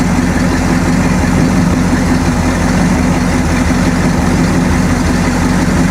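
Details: Freshly built Mercruiser 454 MK IV big-block marine V8 with cam already broken in, run briefly on the hard with the muffling attachment fitted: deep, even burble, steady low rumble, no knocks, misses or rattles; healthy idle.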